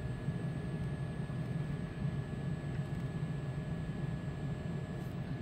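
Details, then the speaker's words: Trane XC95m gas furnace after a technician's fix for a PS2 pressure-switch error that had blocked gas flow: blower motor starts and runs with a steady low rumble and faint hum, the inducer noise is gone; normal running. "as you can here there's the blower motor actually initiating and we just don't hear that inducer anymore so that's beautiful"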